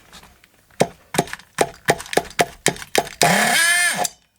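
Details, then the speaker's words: Scrap Thunder Tiger .28 Pro nitro RC engine, glow-started with throttle held shut by a hairband and idle screw all the way in: about eight pops, then a short burst of running that swells and dies; runs poorly, idle setting suspected. "Well, it ran. Didn't run very well."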